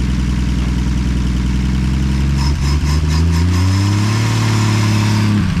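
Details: 1959 Edsel Ranger, first start in 30+ years after being pulled from a farm field, carburetor suspected not right: strong, steady engine note climbing smoothly with throttle and settling back without stumbling; running healthy.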